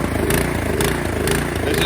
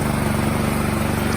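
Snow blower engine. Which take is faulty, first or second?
first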